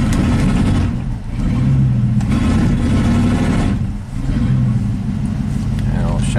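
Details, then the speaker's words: 1987 GMC 1500 plow truck V8, warm, in gear at full throttle: rough, uneven stumbling and misfiring instead of pulling cleanly; ignition signals look good, distributor cap and rotor suspected, unconfirmed. "it off everything looks spot on ignition coils being pulsed all the signals are good but it's definitely losing definitely stumbling and misfiring"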